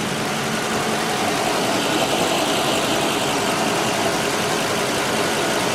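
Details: 2010 ambulance engine idling after motor buttoned up and exhaust leak fixed with new gasket and hardware: steady even idle, smooth hiss, no ticking or puffing from exhaust joints; exhaust sealed and quiet.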